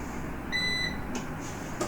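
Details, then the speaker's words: Numeric Digital 1000+ 1 kVA UPS, switched off after mains and battery cut: a sharp high beep about a third of a second long, then faint clicks. This is the recurring long beep caused by a faulty control board. "இப்போ பார்த்தீங்கன்னா இந்த மாதிரி ஃப்ரீக்வெண்ட்டாக உங்களுக்கு வந்து beep sound, long beep, இந்த மாதிரி long beep கேட்டுக்கிட்டே இருக்கும்."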